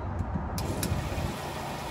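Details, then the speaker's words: RV fresh water pump switched back on after kitchen faucet replacement and closing drain valves: a click, then a low steady hum running evenly with no rattle or surging; normal water pump operation. "We need to close these drain valves. All right, get those hooked up. And then we need to flip our pump back on."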